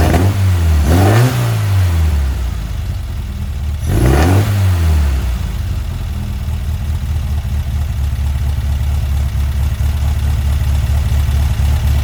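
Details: Weber 44 IDF carburetor on a Herthing, with idle jets just resized: two quick revs climb a bit sluggishly, then a settled, steady idle. Fine at rest but hesitant on throttle, attributed to undersized main jets, which are to be increased.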